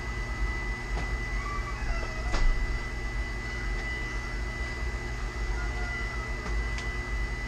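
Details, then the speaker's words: Rheem gas water heater power vent exhaust blower assembly (part AP15109-1) running before replacement: steady thin high whine over constant low blower rumble; blower motor whine is why it is being replaced. "As you can hear, right now it's running, and the reason I'm replacing it is because of the noise it makes, the whining."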